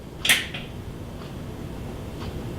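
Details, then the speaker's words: Kenmore dual fuel oven with element not heating, plugged in and bake pressed: one sharp crisp relay click then quiet hum; relay energizes, lower element gets 245 V; normal relay click. "heard the click so you know it energized"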